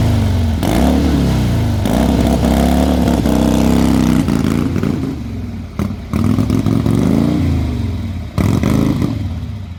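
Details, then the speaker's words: 1979 AMF Harley-Davidson Sportster: an uneven chugging beat that sags and stumbles between throttle blips and won't hold an idle on its own. It needs three-quarter choke to idle; the points are suspected, not confirmed. "it won't tick over without a chug oh yeah choke has to be on at three quarters yeah three quarter choke or it won't idle um we believe it's the points because we've done everything else to it"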